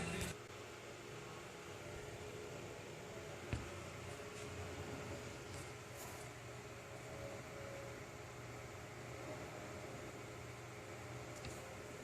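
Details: iMac after repair, incompatible hard drive replaced with new Apple-verified drive: soft, steady low hum with faint airy rush, no rattle or rising whine; fans now smooth and quiet, normal.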